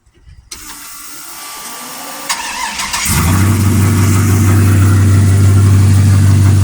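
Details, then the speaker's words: 1963 Chevy C10 with 5.3 LS swap, cam, loud exhaust, HP Tuners tune: fast crank catch, then deep loud lopey idle about four pulses a second, steady, no surging; healthy cammed V8. "I think on a commute that might drive you insane. Just going to have to turn up the tunes a little louder."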